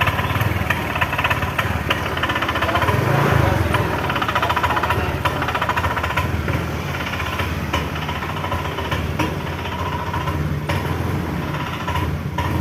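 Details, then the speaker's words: Honda Vario 125 scooter won't take throttle: starts on starter but bogs with rough, uneven knocking putter, stuttering instead of picking up; dies at full throttle; traced to misadjusted throttle position sensor. "di video kali ini saya kedatangan Vario 125 ya teman-teman tidak bisa digas ya tadi digas nahan-nahan seperti itu motor di starter mah hidup ya tapi digas dia tidak mau jalan motornya teman-teman"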